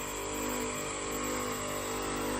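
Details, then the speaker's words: 2 horsepower AC outdoor unit, compressor running with fan disconnected and no refrigerant gas: loud steady hum with coarse buzzing vibration; compressor shaking, noise same whether mounted up or on the ground, louder when cooling with gas. "मैं आपको चला के दिखाता हूँ। ये बहुत ज़्यादा शोर कर रही है। जब ऊपर लगी थी तब भी बहुत ज़्यादा शोर कर रही थी।"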